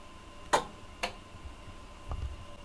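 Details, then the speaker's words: Powergrip YG-1 power conditioner switching off: a few sharp relay clicks about half a second apart, then a softer one, as relay-controlled zones shut down in reverse sequence; normal. "Donc autant d'éteint l'appareil, on a une séquence inverse qui s'opère."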